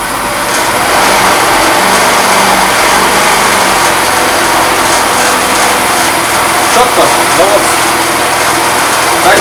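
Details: Fada Wind two-stroke scooter that would not start, after spark plug, air filter and starter ratchet replacement: busy high-pitched buzz holds steady with small rev rises, smooth, no misfire or knock.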